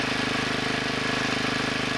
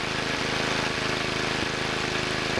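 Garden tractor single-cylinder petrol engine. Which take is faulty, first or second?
second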